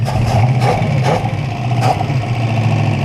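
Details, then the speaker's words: 1968 Buick Skylark 350 V8 revived after about 40 years abandoned in a forest, idle after stuck motor freed and earlier knock went away: steady low rumble, no knocking, running sweet; normal idle. "Listen to that thing idle now. She's just running sweet."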